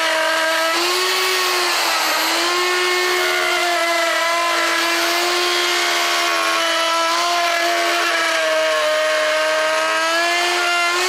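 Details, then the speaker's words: Router cutting a guitar body too deep and too fast: high whine sags and wavers under a rough rattling cutting noise, with burning; the router is overstressed and the cutter should be checked for tightness. "Do you hear it rattling about, making that sort of rattling noise? That's when you know you're going too deep."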